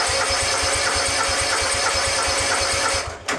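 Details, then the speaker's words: Budget X-Mark-style Yazoo Kees zero-turn mower with a Kawasaki engine and a new carburetor just fitted. It has had long-running fuel problems and earlier died at full throttle. An even starter whirr with steady compression pulses is heard, but the engine never catches: it cranks and won't start. "I'm probably going to have to crank the engine a while before it starts up here goes"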